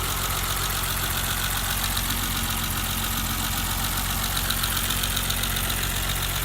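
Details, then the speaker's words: 1988 BMW 325 sedan, cold start after sitting overnight, phone moved around engine bay near the injectors; even idle with light quick injector ticking over steady hiss; normal cold idle with injector ticking. "I'm going to move the phone around so you can hear different parts. Injectors."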